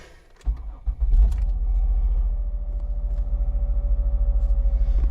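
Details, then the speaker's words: 2005 Mazda Tribute 3.0L V6 that ran rough with misfire codes, after replacing PCM, ignition coils and spark plugs: engine catches quickly, settles into an even steady low pulsing idle, no stumble; all cylinders firing smoothly. "And there we go. Nice and smooth. Hitting on all cylinders."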